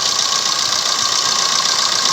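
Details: Maruti Suzuki Swift Dzire diesel idles with a steady, thin metallic rattle on top: timing chain noise, with the timing chain to be replaced.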